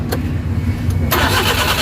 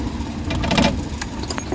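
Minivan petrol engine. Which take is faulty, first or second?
second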